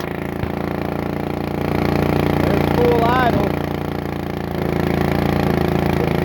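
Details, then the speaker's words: Bolens riding mower, sat for years, fitted with a new carburetor, just started and cold; holds a fast, steady idle and won't come down to low; governor and linkage seem fine, owner thinks it just needs to warm up. "let's bring it down to low not coming down let's look and see why"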